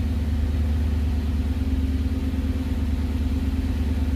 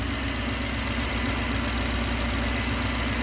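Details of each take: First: 1969 Gloria supercharged V8, first proper start, oil pressure good, alternator charging 14.3 V, 1100 rpm: deep, even rumble with a steady regular pulse at fast idle, no ticks or misses; healthy idle. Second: 1969 Gloria supercharged V8, first proper start: a light, steady knock at idle, about four a second, that sounds like a rod bearing but is the cam cover baffle being pulled down by crankcase vacuum.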